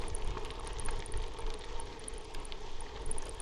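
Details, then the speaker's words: Faint, sharp, high metallic chirps come and go over gravel crunch and wind on a bicycle ride up Sycamore Canyon, Point Mugu State Park; a loose bolt on the camera's swing-arm mount is chirping. "I might do a behind the scenes video sometime, but you can see in my shadow that I mount the camera on a small swing arm to add some mechanical smoothing and damping to the footage. In case you were wondering what that was."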